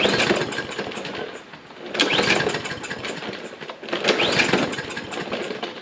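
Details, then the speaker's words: Troy-Bilt mower, Briggs & Stratton engine, sat 3–5 years, fresh gas added: repeated rough bursts about every two seconds, each sputtering briefly and fading; catches but won't keep running, carburetor float/needle suspected, not confirmed. "wonder why it's doing that we put some fresh gas in it see if with fresh gas that I know is fresh it starts so for some reason or that it won't keep running"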